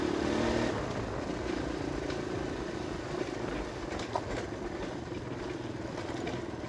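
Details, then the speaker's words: Kawasaki KLX 150 road test in fifth gear after a new RER 150 carburetor and the CDI socket loose-contact fix: steady single-cylinder drone with no stumbles, cut-outs or misses under road wind, where it used to stutter before; runs smooth, normal running. "So nung dati nung hindi pa napalitan ng carp ay parang kumaka-jute siya. So dito wala na."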